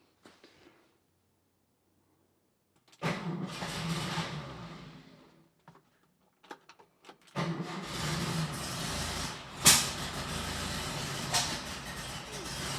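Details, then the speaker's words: Porsche 356 with 6-volt system after distributor swap: two long spells of sluggish, uneven cranking with no catch; ignition timing too retarded, to be advanced and set with a timing light. "one. So, it's just too far Um, so I'm going to loosen that up, advance it just a little bit, and then we'll try again."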